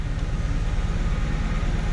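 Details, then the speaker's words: 1994–98 Ford Mustang idling after repair of a crank-no-start: broken vacuum lines fixed, blown intake replaced, spark plugs fouled possibly by bad gas, anti-theft light had been blinking. Low, even burble with a steady pulse, no knock or tick; smooth healthy idle, not yet tested in gear. "i mean it's smooth at idle but i haven't tried it out in gear or anything"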